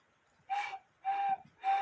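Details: 1950s Poppo musical cuckoo clock, replacement (non-original) bellows fitted: three short, clear hooted whistle notes at the same steady high pitch, each about a third of a second; the high-note bellows sound right.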